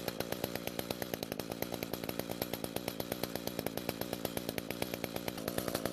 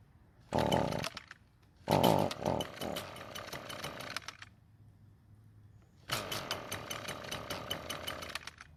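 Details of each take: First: Echo two-stroke trimmer that started but would not rev, with the attachment disconnected, after the muffler, top cover and spark plug were replaced: crisp, even firing that climbs smoothly to a steady high rev with no stumbling; normal revving. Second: Echo two-stroke trimmer starts and runs but buzzes in sagging bursts and never reaches full revs, with heavy smoke from the muffler; the fuel mix was checked and is fine, and the owner suspects a clogged spark arrestor screen.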